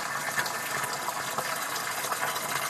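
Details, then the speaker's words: Two-zone baseboard hot water heating system, upstairs zone bled through drain valve: water now rushes out in a smooth steady stream with hardly any sputter; steady water flow, air purged. "um it's there is but not a uh as many as there was starting to come out pretty solid water"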